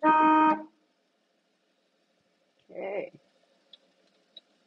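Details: 1959 Chevrolet Apache 32 long bed Stepside truck: one short half-second blast of a clear, steady, bright tone, then quiet; working horn.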